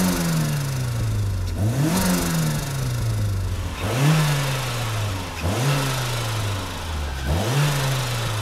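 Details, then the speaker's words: Turbocharged Mazda Miata with its eBay HKS-knockoff blow-off valve disconnected: four quick free revs at low boost, each followed by a fluttering, chattering rush of compressor surge as the throttle snaps shut. "with this thing you really could hear that compressor surging like crazy even at the really low boost levels that you get free revving it"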